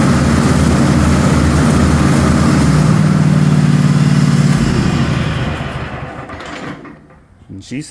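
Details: Cub Cadet XT1 Enduro garden tractor after replacing a mower deck spindle that caused grinding and vibration at engagement: steady engine drone with the deck spinning smoothly, no grinding or rattle, then winding down; normal deck running.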